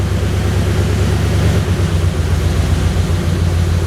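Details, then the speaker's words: 1935 Ford Convertible Sedan flathead, after fixing intermittent hard hot starting with rebuilt original starter, new battery and cleaned grounds and connections; deep, even low rumble with no misses or knocks: normal idle. "Sounds good. Love it."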